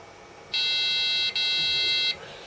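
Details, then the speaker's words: Amiga A2386 386 Bridgeboard under corrosion repair, previously stalling after the memory check, possibly zip RAM related; one long steady high beep of about 1.5 s with a tiny break, normal POST beep after successful memory check. "Yeah. So we got there. We've now got sound."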